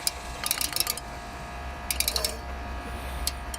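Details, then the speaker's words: Exmark zero-turn mower engine spinning down after shutoff: bursts of sharp rattly clicks over a low hum, caused by loose magnets inside the flywheel; found while fixing the drive belt. "i found out when when i powered it off i could hear that clicking noise i was like man what is is there something stuck in there or something you know"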